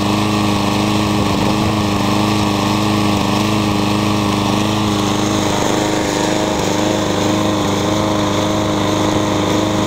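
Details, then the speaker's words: Troy-Bilt TB360 mower with cleaned original carburetor and cleaned tank: runs fast but uneven with occasional skips and pops; still misfiring, flywheel key and timing to be checked. "what's the troy bilt it's got a clean carburetor and I cleaned out the tank but it still kind of skips and pops"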